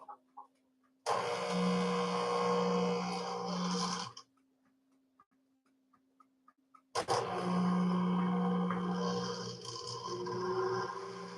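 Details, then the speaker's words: Washer during spin, around 600 RPM then flushing, suds still in drum: motor surges with low hum about three seconds, cuts out, restarts; spin aborting repeatedly, likely from suds lock detection. "And yeah, I could already hear it sublocking. pretty sure that was sub detection."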